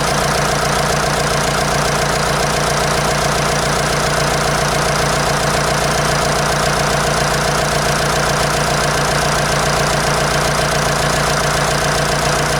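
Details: 1953 Nuffield tractor diesel after injectors were serviced, refitted and bled: even, steady diesel clatter at a settled idle with no misses or stumbles; idling smoothly.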